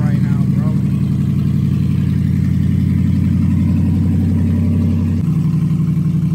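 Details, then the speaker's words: Copart auction truck, battery charged, first start after purchase unseen, tree fell on it; steady low idle rumble with even firing, no knocks or misses; runs pretty good, check engine light suspected from cut-off O2 sensors: normal idle. "truck runs pretty good obviously I'm pretty sure the engine light is because of the O2 sensors"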